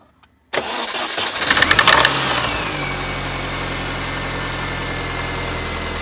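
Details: 2006 R53 Mini Cooper S, manual: starts, flares with a faint high whine, then settles to a steady idle with an accessory noise; the owner thinks it might be a pulley. Noise at idle, unconfirmed.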